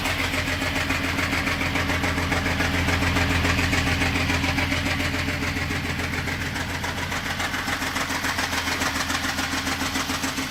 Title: VR6 ticking noise from cylinder head